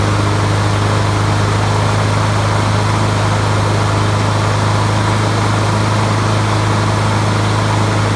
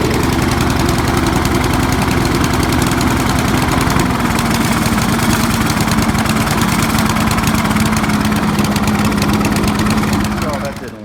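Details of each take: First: 20-year-old Honda HRB215 mulcher/bagger mower that sounded like it ran on choke with the air filter fitted; after swapping in a used spare carburetor it runs with a steady, even low drone, no surging or misses. Normal running. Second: 20-year-old Honda HRB215 mower with air filter on and original carburetor cleaned: loud, steady engine with a slightly lumpy, uneven beat as if still on choke. Running rich; a carb swap later fixed it.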